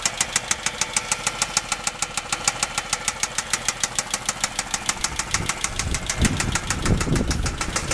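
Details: 2007 Dodge Charger 3.5 engine at idle: sharp, even tapping about three per second over a rough idle; top-end knock, cause not pinned down, and the transmission runs as if low on fluid.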